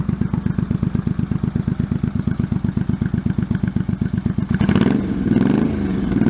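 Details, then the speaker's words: 1984 Honda Shadow VT700C V-twin, first run after 7 years idle with rebuilt carburetors, on starting fluid, main tank off: steady low thump about four beats a second at idle, picking up cleanly on a throttle blip; normal running. "okay well it's running yeah Minor Adjustments figure out why the RP gauge isn't working"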